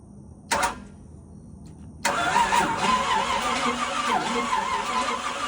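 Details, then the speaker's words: 1986 Pontiac Fiero engine under a Lamborghini Countach kit body, previously completely filled with water; new plugs, fresh oil and filter, new carburetor and fuel line. Starter cranks at an even rhythm for several seconds but never fires. "that does not sound healthy tried to crank it up last night and we had no fire and it's not surprising considering the engine was completely full of water and it was coming out the carburetor"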